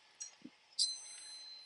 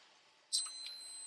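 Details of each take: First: Electric water heater heating element tested with a multimeter on continuity, power wires disconnected: after probe clicks a steady high-pitched beep holds, showing the top element has continuity. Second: Multimeter continuity test on an electric water heater's top heating element, power wires disconnected: single high steady beep confirming continuity; element intact, about 13 ohms.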